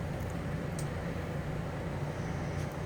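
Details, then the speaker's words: RV Suite 16 onboard generator running, powering TVs, microwave and roof air-conditioning: steady low drone at even level with no surging, hunting or misfire. Generator running normally. "ith the generator running you're fully self-contained you've got your TV's microwave everything will work including the roof air-conditioning it is fine to run it while you're driving"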